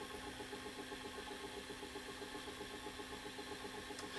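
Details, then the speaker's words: Old Panasonic VCR whose picture shakes horizontally back and forth: a faint, steady clicking several times a second over a quiet mechanical hum during tape playback. Transport fault, source unidentified. "I know if it's coming across on camera but it's shaking hear the noise SS like a clicking"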